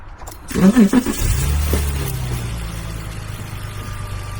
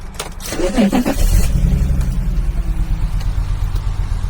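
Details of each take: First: BMW E46 330Ci convertible after replacing the cracked, rusty number five coil pack that caused a misfire: engine fires and settles into a steady, even low idle with no stumble or skip. Running smoothly. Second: BMW E46 330Ci convertible after cranking and catching: uneven, lumpy, stumbling idle and bad shaking, with a mass sensor code showing. Speaker unsure of the cause.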